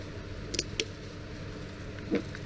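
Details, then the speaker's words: Relay bench test with terminal 85 on battery positive and 86 switched to negative: sharp, crisp clicks as the relay energizes and releases, each pull-in clean. Normal relay click. "That should go through the switch and then to negative. So when I go here, I'm supposed to hear a click."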